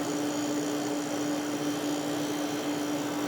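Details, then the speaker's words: Haier dehumidifier fan running: steady airy rush with a constant mid hum that never wavers. Refrigerant is heard going through the lines and it seems to have a full or somewhat full charge; running smoothly. "That fan is kind of cool. I'm not sure if you could hear that, but I can hear refrigerant going through the lines. It definitely has a full charge, or somewhat of a full charge."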